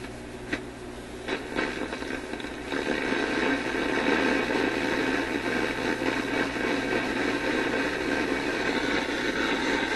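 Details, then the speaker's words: Grundig 2540 AM/FM/SW tube radio, AM working but FM poor, with a loose lead found on the HV selenium rectifier and a bare wire as antenna. FM output is harsh, hissy and distorted, with buried music and a repetitive beat about three times a second over hum. "You could hear a little bit of a repetitive beat to it, and it's just sounding terrible."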